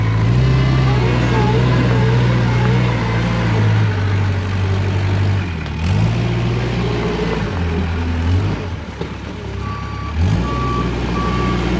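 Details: Kubota 520 hydrostatic wheel loader reversing into a pile: the engine pulls down and labours with a steady reverse alarm, yet the machine barely moves. It climbs forward but won't reverse up steep hills; suspected reverse-circuit relief.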